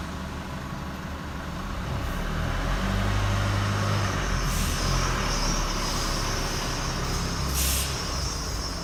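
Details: 2016 Chevy Colorado, 7k miles, high thin squeak in short bursts at about 5 mph, with or without brakes, gone when stopped or above 10 mph; traced to where the driveline enters the transfer case.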